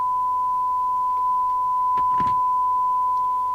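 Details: 1981 Rotel RVC220 (Cybernet 134) UK FM CB radio after extensive repair, receive SINAD test near 1 µV: clean steady single-pitch tone, brief scuffle midway; sensitivity 0.23 µV for 12 dB SINAD, receiver passing test signal cleanly.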